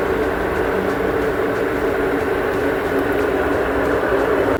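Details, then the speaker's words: Samsung top-load washer after repair, late in spin cycle: smooth, steady whir at high spin with no knocking or scraping; the earlier loud spin noise is gone and the drum runs quietly. "Still not making any abnormal noise. Now 100% sure it's not making any abnormal noise."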